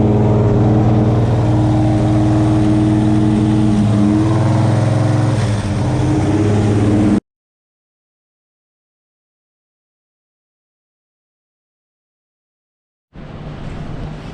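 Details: Buick Skylark with a 427 V8, first run after refitting a missing spark plug: loud, even beat at steady fast idle for about seven seconds, a pause, then it fires again; running normally, though a valve cover later leaked oil.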